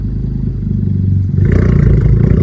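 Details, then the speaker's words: 10th-gen Honda Civic Type R (FK8, single-mass flywheel), warmed up, idle settled, shifting into first without touching gas, recorded in cabin; steady idle pulses then revs lift smoothly as clutch takes up: normal rev rise on clutch engagement, louder outside. "So it's not just me or all the Type R owners revving like that. And actually, it's much louder outside."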